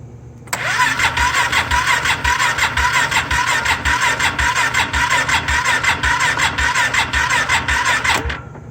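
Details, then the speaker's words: Polaris Sportsman 570 in park, brake lever depressed: starter cranks steadily about two beats a second for eight seconds with no firing; cranks but no start, cause still to be investigated. "it's a no crank crank but no start as you can see turn it on it's in park brake lever is depressed and"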